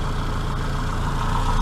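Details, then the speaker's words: Austin Maxi after first start in three months: low, even, sweet tick-over with a steady beat and no misses, knocks or hunting; normal warm idle. "still that engine's ticking over sweetest or not"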